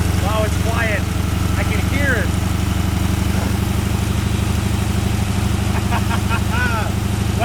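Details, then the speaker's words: Long-sitting 1981 Ford Mustang 5.0 V8, truck mufflers, no cooling fan: deep, steady burble with even beat, no misses, knocks or ticks; quiet and sounding really good, normal idle. "she sounds good sounds really good"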